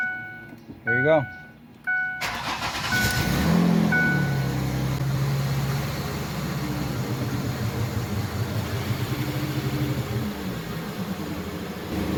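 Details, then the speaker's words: Ford Freestar after a tune-up fixing a bad ignition coil, engine started with parts still off: cranks, catches, then a loud, raspy, puffing idle with a steady low drone; runs better but the loud exhaust leak remains. "right so of course it still has a very loud exhaust leak but it feels much better"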